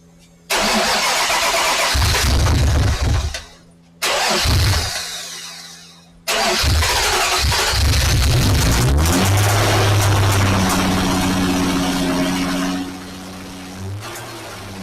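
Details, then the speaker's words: Mazda Protege5 wagon after sitting nearly a year, freshly swapped V6 KL engine with new cams and 6-speed, no cats: two cranks, catches, runs rough with ragged clattering idle; engine knock, owners joke of rocks in the oil pan. "No, that sounded pretty rough. Yeah. Also, yeah. It's almost like it sat for a year."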